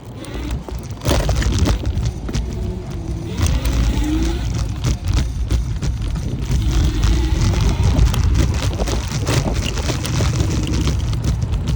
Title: Dualtron Compact rattle noise at high speeds